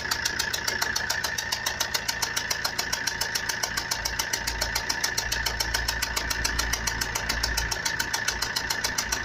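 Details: Fiat Punto 1.3 Multijet diesel: loud sharp metallic rattle, three to four knocks a second, that started suddenly while driving at 140–150 km/h on the motorway.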